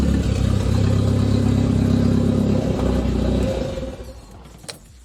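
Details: The "200", bad misfire persisting after ignition work, exhaust cut free: uneven, lumpy, loping idle that sags and dies after a few seconds. Bad misfire, cause not found.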